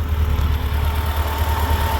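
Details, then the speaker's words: Yamaha FJR 1300 motorcycle idling stationary, warmed with revs under 2000 rpm after a coolant change, first in 20 years: steady idle with the radiator fans whirring, then switching off, showing cooling works normally. "alors je sais pas si vous allez pouvoir les voir mais je pense que vous pouvez les entendre et du coup on les entendra surtout se couper et voilà ils viennent de se couper"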